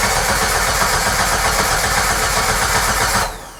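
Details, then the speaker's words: 1994 Jeep Wrangler crank no start, fuel pump not heard with ignition on: steady cranking at a few turns per second that never fires, even with starting fluid; no fuel pressure suspected; crank no start. "So I would think spraying a little bit of starting fluid in there, I should at least get it to something, but nothing."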